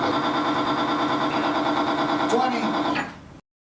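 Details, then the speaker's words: Timken bearing under a 5 lb load test lubricated with Modern Spartan Systems accuracy oil: a steady, even mid-pitched hum with no screech or smoke, then a clean spin-down. The bearing runs normally, unlike competitor lubricants that failed within seconds. "first we'll perform the same test with 5 lbs you can immediately hear the difference there is no screeching and no smoke"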